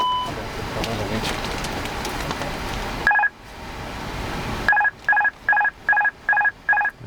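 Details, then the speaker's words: Airbus A330 cockpit during first engine run-up after storage: loud cabin hum, then repeating two-tone master warning chime about 2.5 times a second, triggered each time the autopilot is disengaged; normal. "Master warning again each time you disengaged the autopilot you get a master warning it is to make sure that you want to toggle that off in fight"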